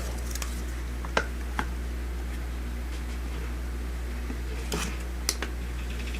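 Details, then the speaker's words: Old window fan after repair (motor had overheated and seized): smooth steady low hum with no rubbing or rattle, few handling clicks; much quieter than before, all three spinning; normal fan running. "Wow, it's much quieter than it used to be. Very cool. There you go. It's all fixed."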